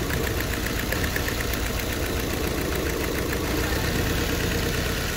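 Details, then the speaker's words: Nissan Sentra: uneven lumpy idle misfire; disconnecting the first cylinder brings no change, and with spark and injector signal confirmed present, the injector is found clogged. "es definitivamente este cilindro y tiene que ser o el o la señal que le llega al inyector o el inyector tapado"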